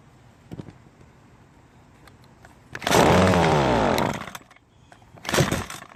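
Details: Ryobi two-stroke string trimmer, stored for years with cracked primer bulb, after bulb replacement and carburetor reinstall: a few pull-cord rasps, then it fires and revs with high buzzing snarl before dropping off; starts and runs.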